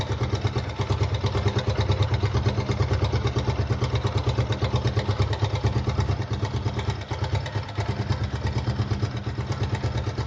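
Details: Suzuki Gixxer 155 single at idle: quick, even metallic clatter riding on every beat, about three a second; timing chain noise.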